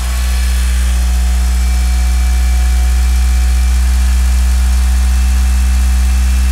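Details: Mitsubishi Galant VR-4 first start after engine overhaul; smooth even idle with a steady low hum and quiet lifters, no tick, possibly thanks to the lifters soaking six weeks in diesel.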